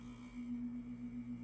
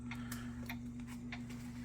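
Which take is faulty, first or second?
second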